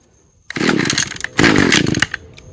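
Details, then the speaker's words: Echo power equipment with a Zama carburetor, first start after the last-resort carb fix following a rebuild, choked and primed: small two-stroke catches after a couple of pulls, revs and settles; starts and runs fine. "All right. Nice, nice, nice. Let's uh turn up the idle a little bit."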